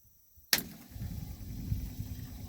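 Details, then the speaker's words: Old 1976 Ford F-250 with a Holley 600 vacuum-secondary carburetor and frozen-open choke: sharp cable snap as the jumped original starter engages, then a slow labouring groan as the engine barely creeps over; weak, worn-out starter motor. "well she barely moves gosh it's still a piece of junk"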